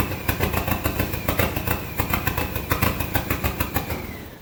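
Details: SRT-4 engine in a Mazda B2200 drift truck, restarted after a blown PCM fuse. Lumpy idle with irregular pulses about three a second that stumbles and fades. Rough because idle air control, TPS and intake air temp sensors are unplugged and there is no O2 sensor.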